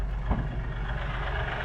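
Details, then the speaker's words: New Kioti DK5320SE tractor diesel idling, heard from outside the cab: steady, even low rumble with no knocks, misses or rattles; owner says she purrs really nice; normal idle. "but yeah she purrs really nice step out here and you guys can hear it from the outside"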